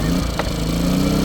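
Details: 1100 W Toolpro inverter generator, pull-started with choke on after an oil change with about 700 ml of oil; the fuel tap had been left on in storage: brief catch, then an even, steady hum; it starts cleanly.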